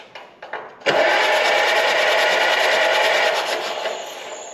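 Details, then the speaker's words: 1953 Allis-Chalmers WD tractor, cranking: fast even chug for about three seconds winding down with no firing; no spark, fixed by new rotor and cleaning dirty points in distributor. "Yeah, no spark in that guy. Swap a wire out just in case. See if we got any power to the distributor here."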